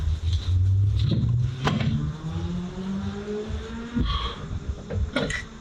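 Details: Mitsubishi Lancer CE after spark plug tube seal work. The first start ran badly with one ignition coil unplugged; with both coils plugged in it catches and settles into a smooth, steady idle with no misfire.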